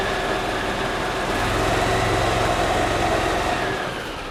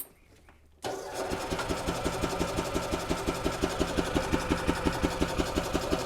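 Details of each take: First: 2008 Yamaha Drive gas golf cart in neutral, customer reports strong gas smell: slightly lumpy uneven idle around four beats a second, spits and sputters after sitting; mechanic suspects a dirty carburetor flooding the engine, running rich. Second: 2008 Yamaha Drive gas golf cart, owner reports strong gas smell and sputtering after sitting, after reassembly and before fuel flush, in neutral: quiet, then catches and idles evenly at about three thumps a second; normal start and idle.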